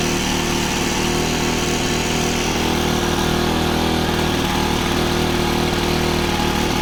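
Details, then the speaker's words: Honda FG110 with GX25 engine, new carburetor that previously needed half choke; steady fairly fast idle with even beat, no stumbles, warming up; normal running. "But right now, it seems to be doing pretty good. As you saw, I leaned it out a little bit. I got it running pretty good, and then I leaned it out and I put the filter on."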